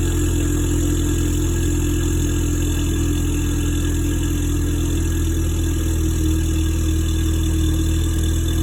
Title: Mustang ecoboost cylinder 4 misfire